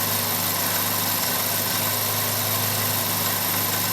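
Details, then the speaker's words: 2001 Chevy Prism with Toyota 1.8L, warm idle: slight uneven sputter and stumble; running lean, worse at idle, with misfire and lean codes caused by restricted fuel injectors. "We are definitely running lean at idle, and it's worse at idle."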